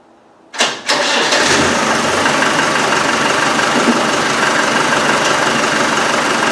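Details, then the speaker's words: Land Rover 110 diesel with exhaust refitted, started via power probe after security system removal: brief crank, fires straight away, steady even idle clatter with no misses and no back pressure; healthy start. "fires look okay there's no problem with it and there's no back pressure"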